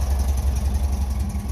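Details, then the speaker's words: Six-wheel-drive vehicle with an air-cooled four-cylinder hemi-head engine on two twin-30 mm-blade throttle bodies, exhaust through a Flowmaster muffler and heat exchanger. After repair work it idles smoothly, with deep, even exhaust pulses, all four cylinders firing and no misses or knocks. "See her running there, and we've got a nice exhaust note hitting on all 4 cylinders."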